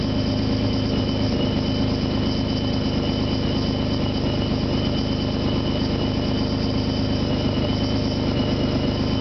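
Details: 1997 Nissan Maxima, supercharged, idling and briefly revved: harsh, raspy exhaust note with a thin high whine from an exhaust leak that developed after the catalytic converter.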